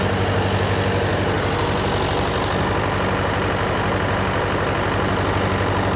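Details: John Deere 401C diesel with cracked block, idling: heavy, uneven loping beat about four pulses a second, one cylinder not firing; temperature check shows number three cold while others hot, confirming an injector problem.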